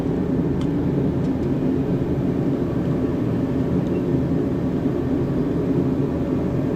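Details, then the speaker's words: Diesel heater on a low setting: constant low burner roar with a steady fan rush, no pulsing, sputtering or popping; firing cleanly, though the owner suspects its fuel pump may be failing. "So, oh, there comes my heater on now. It's a big roar."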